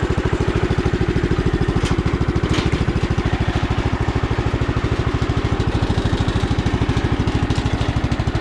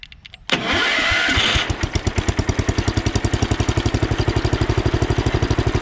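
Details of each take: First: Sears Custom 7 garden tractor, circa 1968–70, revived after years broken down: steady single-cylinder thump about 200 per minute with no misses or knocks. The engine runs smooth, though some pulley bearings are a little noisy and the starter sounds bad. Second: Sears Custom 7 garden tractor (about 1968–70) single-cylinder, started at slight throttle. A rough, grinding whir from the worn starter lasts about a second, then the engine settles into a smooth, even beat. Some pulley bearings are a little noisy.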